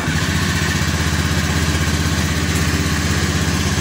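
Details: Honda BeAT FI scooter that kept dying after 100–200 m; after repair and cleaning, fuel pressure rose from 36 to 40 psi (45 psi running). Even, steady low-idle putter with no misses, surges or stalling; normal idle.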